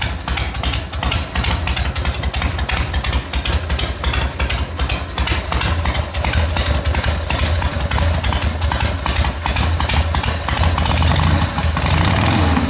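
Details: 1980 Harley Ironhead after restoration work, first run heard since redone: loud lumpy V-twin beat about three pulses a second, firming and rising toward the end; normal cold start settling into idle.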